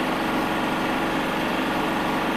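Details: 7 kVA generator in economy mode with about 593 W heater load: steady loud buzzing drone, no dip or surge; measured 74-78 dB at 4 m and about 74 dB at 9 m versus rated 59 dB at 4 m.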